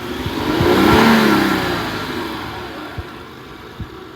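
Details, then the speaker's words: 2004 Acura MDX, 156,000 miles, codes P0300 and cylinder 1–6 misfires, reported no power: revving up and falling back with rough stumbling note and uneven thumps, shaking badly; misfire across several cylinders. "let's press the gas see if it sounds like it's shaking bad okay shaking bad"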